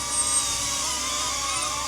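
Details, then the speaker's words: DJI Avata 2 drone on newly fitted Master Airscrew propellers, hovering in light wind: a high, steady hiss with a wavering thin whistle; owner unsure of the cause, thinks it sounds like something rubbing a little. "I hear the screeching sound though, like the whistling. I'm not sure what that is. Like it sounds like something's rubbing a little bit."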